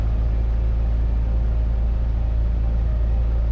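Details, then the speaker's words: Cessna 172 engine on its run-up at 1700 rpm after a carburettor install and oil change: smooth, steady low drone with no misses; oil pressure good, oil temperature up slightly, magneto checks good. "it sounds so smooth full pressure is good"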